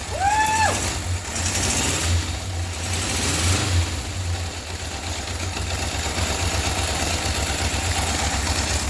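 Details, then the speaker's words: 1978 Honda CB750 first start after purchase, rusty fuel tank and a fuel leak held during start: short starter chirp then low uneven idle that never settles; running extremely rough, cause not found. "okay guys so we've got rhonda the honda uh started and she did turn over which is super exciting um she sounds extremely rough"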